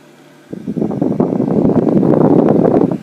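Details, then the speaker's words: Evaporative humidifier with blower on high (max) speed, no water running; steady airy rush, even and smooth with no rubbing or rattle, normal. "not much to really show without the water running, but it's got a cool sound."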